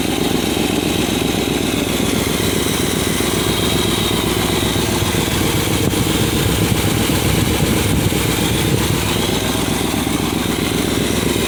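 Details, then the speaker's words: Edsel V8 idling steadily after a new fuel pump, running smoother but with a loose, puffing exhaust note and raspy hiss from several exhaust leaks. "you can still hear the exhaust leaks of course but all this thing sounds so much smoother and so much better"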